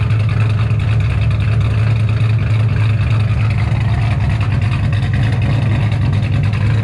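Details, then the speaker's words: 2007 Shelby GT500 supercharged V8, after L&M NSR cam install, Venomous Tuning tune, freshly refueled, check engine light on; deep heavy rumble revving steadily with choppy cam lope, no knocks or rattles; healthy cammed engine. "she sounds amazing like straight up amazing this is having a supercharged gt500 is one thing cammed on top of it it's just like legit your dream come true right now"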